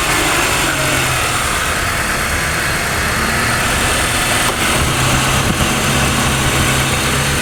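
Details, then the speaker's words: Honda CR-V during a daily check, engine started with air conditioning on, two radiator fans running: steady even idle under a loud airy rush of cooling fans, no knocks or misses; engine and fans normal. "สตาร์ทเครื่องแล้วเปิดแอร์นะครับผมพัดลมจะต้องทำงานนะคันนี้มีกี่อันมีพัดลมอยู่2ตัว2ตัวนะครับผม"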